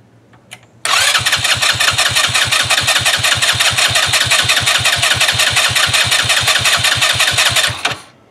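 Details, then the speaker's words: 2018 Trailmaster 150 XRX dune buggy, previously non-running, after a battery replacement and a new replacement carburetor: brief crank, then it catches straight away and settles into an even, steady idle. Normal start and idle. "It wants to run. Idle before, now it's idling. That's a big plus."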